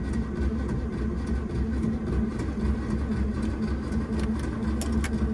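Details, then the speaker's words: Starter motor stuck engaged, with a continuous mid-pitched whir over a low rumble after cranking stops, on a Daimler wedding limousine parked since 1990, during its first start attempt after 32 years with the float primed; key is already off. "my starter got stuck. Look, I have it off."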